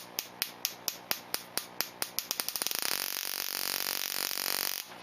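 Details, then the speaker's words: Ignition coil on a Solénotest tester's spark gap, checked at a slower rate setting: crisp, regular spark clacks that speed up into a fast buzzing train and stop cleanly. The coil fires strongly and is healthy. "Par contre, vous entendez le clac de l'étincelle, là on ne peut pas le rater."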